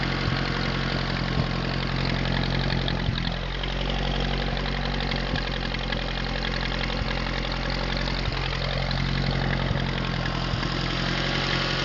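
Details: Atomic 4 inboard engine overhauled last summer (new pistons, rings, valve springs, plugs, wires, higher-flow water pump), run without choke on a test stand for a 17-foot homemade wooden boat, alternator off: steady, even low idle, unchanging beat, no knocks or misses; normal idle.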